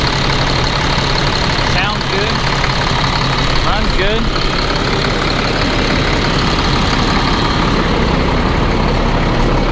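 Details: Caterpillar C7 diesel idling after a bad turbo was replaced, following smoking and cutting out; new turbo's shaft play expected to tighten when hot, no leaks seen; steady, even diesel clatter with smooth low rumble, no misses, knocks or hiss; idles healthy.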